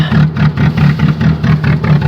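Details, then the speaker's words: Chevrolet Cavalier cold start at 0°F: heavy, uneven idle whose loudness surges about four times a second, lumpy and shaky, likened to a rotary; the roughest it has sounded in a long time. "take that sounds terrible sounds like a rotary rap rap rap rapping rotary Wow hey the worst I've heard it sound in a long time but it fired up"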